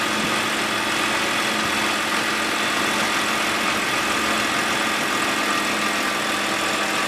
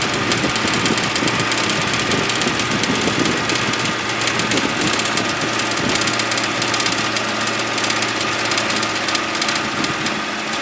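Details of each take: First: BMW E92 328i N52 petrol engine, which began rattling after a dealer replaced the VANOS solenoid; once the rattle stops it idles evenly with only a light, fast, normal valvetrain tick, and no rattle remains. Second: BMW E92 328i N52 idling, busy tinny rattle like marbles in a can, starting after dealer VANOS solenoid replacement; a connector in front of the radiator fan came loose from its holder and hit the fan, reproducible by turning on AC.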